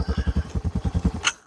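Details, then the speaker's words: Old Yamaha 225DR single-cylinder after petcock replacement and carb clean, started by tapping the carb float: steady thumping at about eight pulses a second, even and clean before shutting off; running normally. "yeah so now you can hear she's running all I have to do to get to run was uh tap the float like there we go"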